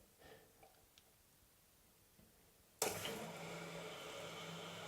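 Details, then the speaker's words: Caroma Stylus dual-flush toilet cistern; after a quiet start a steady hiss of water keeps running into the overflow without stopping, from a leaking inlet valve with worn washer or faulty valve. "Now, also, if you've got a a leaking valve, if this valve is leaking because the washer is worn or the valve itself is not working properly, you normally hear this hissing sound and it doesn't stop. It just keeps going."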